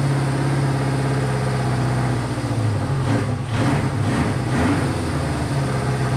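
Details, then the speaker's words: Honda CB500 four-cylinder at a low, lumpy idle with dips in the firing rhythm, though firing on all four. It is hard to idle and smokes a decent amount; the owner suspects low compression. "not the happiest sounding thing but i'm gonna set it to where it will idle for a while"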